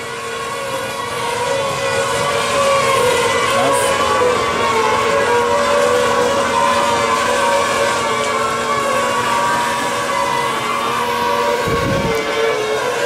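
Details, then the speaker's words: Newly replaced gas spa heater making a steady whirring hum with a low drone and higher tones, like a fan or moving part; occurs only when the gas heater is on. Source not identified. "have no idea what it is sounds like a fan or something or some moving part only happens when the gas heater's on"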